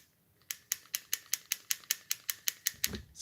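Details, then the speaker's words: Gearbox during shimming, after 0.3 mm shim: sharp dry clicks about five a second as gear is rocked by hand; still about 0.09 mm end play left, needing a further tiny shim. "All right, now if I stick my hand in there. It's still got 0.9 of it. Still got 0.9 of a mil of play."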